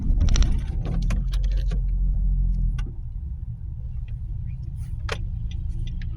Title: nissan qashqai 1.2 rattling, buzzing noise. fixed same street .After fixing